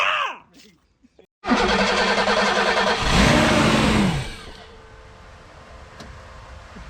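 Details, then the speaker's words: 1987 BMW 528e (E28) that sat about 2 years. The Motronic relay was swapped (for a Ferrari 308 horn relay), and the starter churns but the engine won't fire. The owners suspect bad, foul-smelling gas in the system; the intake also has a big split. "okay so our theory now is we just have to get through the bad gas that is in the system it smells terrible it ran a little longer that time"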